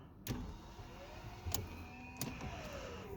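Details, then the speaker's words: 2002 BMW E46 316 with N42 engine, cold, second and third attempts after the initial stall: short starter whirs and clunks, turning over unevenly without catching. A mechanic suspects oil in the head robbing compression; the cause is unconfirmed. "So when I try to light it up every morning, the first time she starts, works for 2 seconds and then go off."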